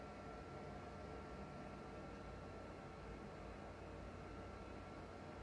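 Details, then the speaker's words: Used PS4 Pro running with no disc, before opening, cleaning and new thermal paste: steady even rushing roar with a faint high whistle, cooling fan far louder than it should be, cause suspected not confirmed. "Jeez. So loud. Loud. There's no disc in there. It's just the fan, I guess."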